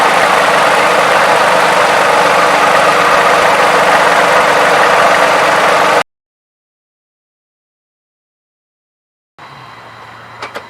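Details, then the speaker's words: Toyota 3.5L V6, 170,000 miles, idling after graphene oil additive: smooth even idle, no valve timing advance clacking or valvetrain clatter; quietest the owner has heard it. "but hey to me this looks like a success never heard this engine so quiet"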